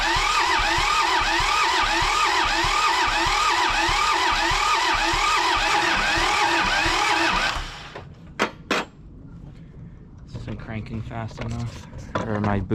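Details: John Deere 650 tractor, two-cylinder Yanmar diesel, sat 15+ years, cranking to bleed injection lines after refitting: starter churns about four beats a second for seven seconds without firing, slow cranking, battery going flat; injection pump later found needing cleaning.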